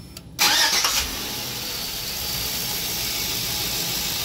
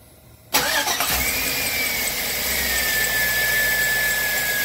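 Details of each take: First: Engine started with serpentine belt removed after a new belt still squeaked, suspected from power steering pump, worse in cold weather: short crank, clean catch, smooth idle with no squeal, so noise is in the belt drive. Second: 2003 Chevy engine running before the belt and tensioner work: a thin, steady high squeal sags slightly in pitch and holds for several seconds. Accessory belt squeal, cause suspected, not confirmed.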